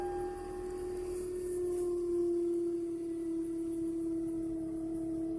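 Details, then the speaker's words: 2006 Toyota Camry, 242,000 miles, just started: a loud, pure, steady mid-pitched hum that rises at startup and sags slightly. It does not change when the steering wheel is turned. Cause unknown to the owner. "there's a noise it makes when I start the vehicle and let's see about to start it"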